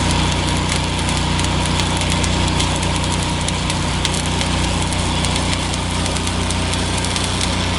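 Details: New Miller Bobcat 260 engine welder, power set between 7 and 10, remote-started, stick welding: steady, even engine drone holding speed without hunting or misses under the welding load; healthy running.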